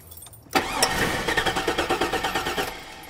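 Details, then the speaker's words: 2002 Chevrolet Avalanche crank-no-start, fuel pump confirmed powered: even starter churning about three beats a second, almost catches but won't start; suspected weak fuel pump pressure, not confirmed. "almost started it might yeah it might be the fuel pump still put it uh crank it uh cycling a couple more times for me okay crank it okay I'm beginning to think it's the fuel pump"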